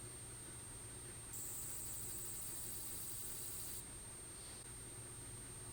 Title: 2019 Imac chirping, squeaky sound